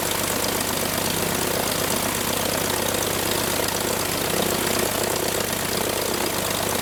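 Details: Franklin 165 aircraft engine test run after repairs for a blown cylinder: a steady, even propeller drone with a smooth beat and no misses or knocks; normal running.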